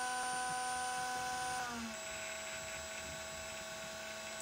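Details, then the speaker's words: DLP rear projection TV colour wheel after contact cleaner with lubricant in the motor bearings: steady whirring shifts down in pitch and fails to settle, speed hunting because WD40 covered the light speed sensor; cleaning it fixed regulation and quieted it. "hey that's a lot better although the speed regulation still is not working"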